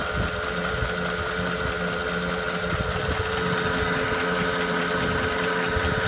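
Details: 2008 Porsche Cayenne Turbo (957) 4.8L petrol V8 at idle: steady low rumble with a light, loosely regular tick; owner wonders whether it is piston slap.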